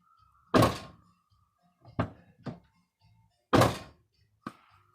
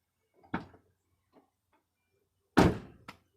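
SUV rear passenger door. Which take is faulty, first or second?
first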